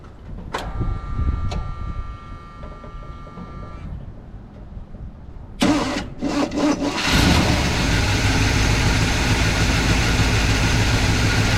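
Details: IHC/Blazer wrecker with a no-start traced to a wire pulled out of a distributor terminal; after short cranking bursts it catches and settles into a steady, even idle with a low smooth rumble.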